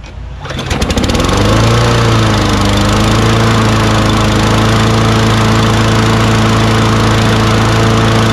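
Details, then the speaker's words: Free Craftsman push mower with auto-choke Quantum engine, high wheels and bagger: starts on the first pull and settles into a steady, fast, even drone. Engine speed seems a little high and needs adjusting. "what else did you guys notice when i first started it up that's right i thought the rpm was a little high right"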